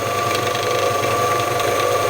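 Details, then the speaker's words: Scheppach DMS 900 lathe after pulley and bearing replacement, running much quieter than before: steady motor hum with thin high whine and faint fluttering rattle appearing as speed lever is changed and pulley rides up; rattle source still unknown. "okay that top bearing is closing up as I change the speed the pulley is coming up to the top to the rattling now I'm gonna have to see what that is"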